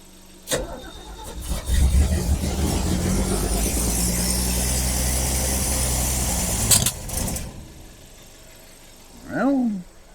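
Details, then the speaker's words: Ford Falcon on an aftermarket carburetor with no cooling system fitted, plus a loose vacuum port from pump to carb. Engine catches and flares to a high, loud rev before easing off; choke open at startup. "She said, "Oh, the choke was open. That's kind of a good thing." But man, that was a high high river. A high ripper."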